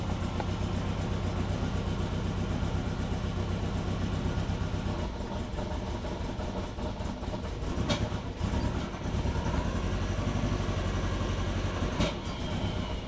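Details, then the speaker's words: Turbo Subaru Forester on Haltech Elite 550 ECU, just started after a coolant leak repair, light throttle blips: lumpy, uneven running with irregular low pulse, sounds not good; rough running, cause unconfirmed. "Doesn't sound too good."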